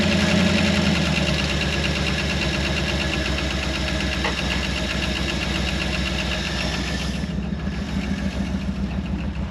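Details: Early-1960s Ford F100 after first start in 25+ years, at idle with glasspack exhaust: steady V8 burble with light lifter ticking and over 60 psi oil pressure; the motor sounds healthy.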